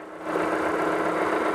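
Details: Engine idling after reinstalling crankshaft pulley/harmonic balancer whose slipped inertia ring threw timing marks off, during timing-light check with pickup on number one plug: steady, even idle, smooth low hum, no knocks or misses; normal idle.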